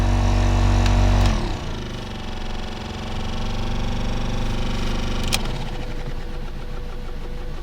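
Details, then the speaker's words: 2010 Toyota Corolla LE, blower previously replaced, rodent history: steady low hum with pulsing shake about four times a second and faint rattle, vibrating seat and car; foreign debris suspected unbalancing blower wheel. "The blower is moving definitely, but it's kind of shaking the whole car. My seat, it's completely vibrating. It's like a free massage or something."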